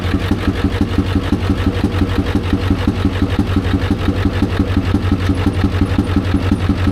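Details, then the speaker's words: Ford F350 dually with the 7.3 Power Stroke diesel, smoke coming off the engine: a sharp, regular tick about three per second over a lumpy idle; valvetrain noise, owner suspects a dropped pushrod, later found to be a bent pushrod. "I think it dropped the push rod."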